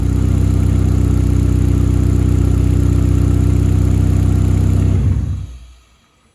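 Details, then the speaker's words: 1.8T stroker turbo petrol build, after fixing a vacuum leak from injectors seated at an angle by swapping to an aftermarket fuel rail: steady, even idle with no intake hiss; brake-clean sprayed at the injector cups causes no idle change. "and no more vac leak I double checked this by spraying brake clean into the injector cups didn't hear any change in idle"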